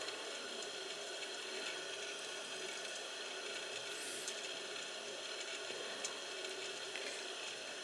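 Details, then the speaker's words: Gas boiler hot-water heating system, purging zones after a complaint of water-running noise in the radiators: steady, even rush of water with no gurgle or bubbling, a good purge flow with no trapped air; the noise may be normal heat noise. "i'm definitely getting a good flow and i don't hear any bubble and i won't hear any bubbling action going on"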